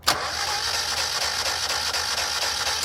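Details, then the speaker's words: 1992 Mazda Miata abandoned for months, weak battery: steady starter whirr with even cranking pulses, seems to have compression but no firing; no spark found, ignition coil pack suspected and to be replaced. "so as you can hear it does kind of sound like it has compression if you know what sound that is making let me know but I noticed it didn't have spark"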